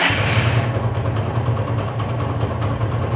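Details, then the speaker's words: TVS Apache engine after home engine rebuild, restarted: steady, even low idle with regular beat, no knocking or rattle; old noise gone, expected to loosen up further, normal idle. "आवाज भी यह सवा 6 हम परेशान थे वह आवाज भी खत्म हो गई और अभी कुछ दिन और चलेगी यह तो उसके बाद में और फ्री होगी"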